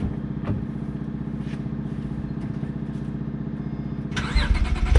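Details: Acura TL 3.7 V6 with aftermarket Endless exhaust, morning start recorded on a GoPro; even, steady idle with a deep exhaust note, then clean rising revs, nothing knocking: healthy cold start and revving.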